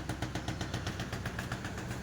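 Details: Maruti Alto LXI 2016 at idle: fast, even ticking about eight taps a second over a steady hum, which started after cylinder head work; cause unknown.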